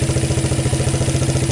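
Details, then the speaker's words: 1985 Suzuki Quadrunner LT230E just fitted with a new Keihin PZ27 clone carb: an even single-cylinder thump about thirteen beats a second, slightly fast; the idle is a bit high and will need turning down as it loosens up. "yeah as it's running it's going to loosen up and i'll have to turn the idle down"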